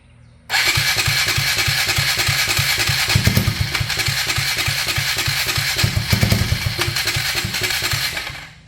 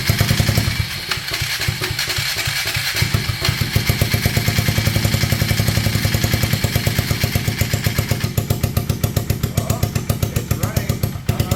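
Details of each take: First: 1999 Polaris Sportsman 335 first start after replacing a stuck valve's broken valve guide and all gaskets, gas tank not attached, primed with starting fluid; starter chugs about three and a half pulses a second with brief catches that die, fires but won't run. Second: 1999 Polaris Sportsman 335, first start on starting fluid after replacing a stuck valve's broken valve guide and all gaskets: single cylinder catches and keeps firing on its own, rapid even pulses with a few blips; running fine after the repair.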